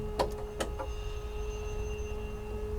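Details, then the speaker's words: Pipistrel Velis Electro electric aeroplane, battery energizer breaker switched on after avionics: a couple of switch clicks, then a quiet, steady electric hum as the pump starts and holds constant; normal pump operation, propeller not yet powered. "And then the next breaker is the battery energizer. So you'll hear the pump start."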